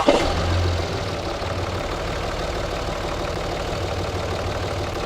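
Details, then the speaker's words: Diesel truck back after its turbo, replaced 12,000 miles earlier, failed noisily, engine started in the shop to check for blow-by: even, steady idle with a smooth low rumble and no knocks, rattles or hiss; normal idle. "Nothing, which is excellent. Sounds good."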